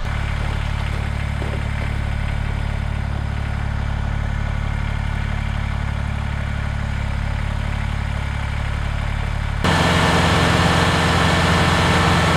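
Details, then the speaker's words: Kubota BX diesel tractor after fixing suspected cold-weather fuel gelling and warming up: smooth, steady diesel clatter with even low rhythm, stepping up slightly as revs rise; running cleanly. "she warmed up all right and i pulled her out just to give it a little test before uh head down the driveway and she's doing okay"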